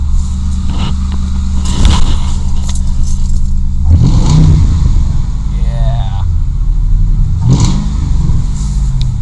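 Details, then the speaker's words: Ford Crown Victoria P71, now starting on its own, transmission shot, warming up: deep, even engine note rising cleanly in three quick revs and settling smoothly; healthy, no knocks or misses. "sounds awesome. We'll let her run for a little bit."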